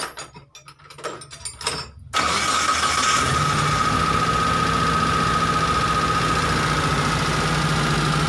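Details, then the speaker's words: Toyota T120SS injection engine after repair: starter cranks about two seconds, catches and settles to an even idle with no whistle; flute-like scream when revving, from dented oil pan touching the oil pump pickup, now gone. "oke sekarang suara ngiung ngiung nya sudah hilang suara serulingnya sudah tidak terdengar lagi dan ke di seperti semula"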